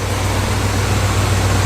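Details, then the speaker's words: 1977 Chrysler Newport V8 right after an engine and transmission swap, idle adjusted down: a deep, steady, even idle with all eight cylinders firing cleanly and no stumbles. "Take the idle down a little. Oh, finally. Finally. A smooth, clean eight."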